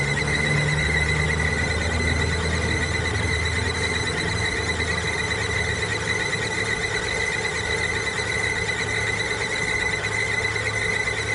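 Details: Noise reported at the timing belt: constant high thin squeal holding steady pitch over a low engine hum throughout, typical of a slipping or dry belt; cause suspected, not confirmed.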